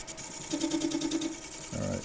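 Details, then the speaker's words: Mini mill machining a magnetic clock face: a fast, regular buzzing rattle of about ten pulses a second as the cutter crosses the face. This is chatter because the surface is uneven and out of level, and the cuts are leveling it. "you can hear it's chattering because it is uneven so this is going to be leveling it out for sure"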